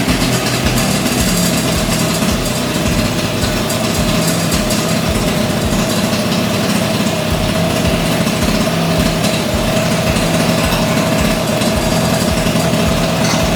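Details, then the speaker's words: 38-year-old Honda Vision (Elite) two-stroke scooter after choke bypassed, before carburetor adjustment; steady, even idle with quick regular pulse, no stumbling or surging, much improved. "that's already sounding a hell of a lot better isn't it ain't it"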